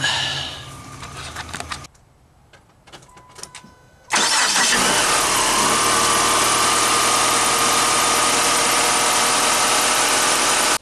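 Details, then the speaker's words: Chrysler PT Cruiser 2.4 non-turbo after starter replacement: brief crank, catches at once and settles into a smooth, even idle with no grinding or stumble. Normal start and idle. "Alright, now it's pretty dark, but there it is. It starts, no problems."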